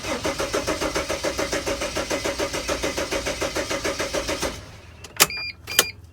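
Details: Mercedes Sprinter van with fuse 16 (15 or 25 A) pulled to simulate a fault; starter turns the engine over at about 105 beats a minute for four seconds but it never catches. Possible causes include cam/crank sensors, no fuel, or the blown fuse: crank, no start.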